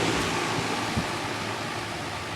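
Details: 2004 Armstrong Air Concept 1.5-ton 10 SEER R22 condenser with Copeland scroll compressor, hot day: soft even fan rush over a faint low hum, no rattles or knocks; suction line not cold, liquid line burning hot; very quiet, smooth, normal running.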